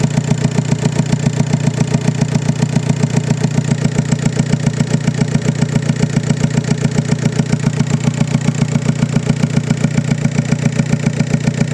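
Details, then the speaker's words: VW Passat B5 FL 1.9 TDI, 130 hp, automatic, at idle: a rhythmic hollow beat from cylinder 4 misfiring, with hard morning starts. Injector signals check out electrically; leaking pump-injector seals are suspected. "Wypada zapłon na czwartym gaze. Pompowtryski bardzo ciężko rano pali."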